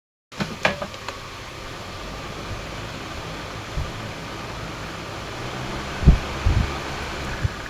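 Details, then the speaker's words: Walton AC/DC rechargeable fan running on AC mains power during repair; even, steady airy whoosh with no ticks, rattles or rising pitch; normal running on AC, while on DC it runs only weakly and battery not holding charge. "DC এসিতে চলছে এখন আমরা দেখব ডিসিতে।"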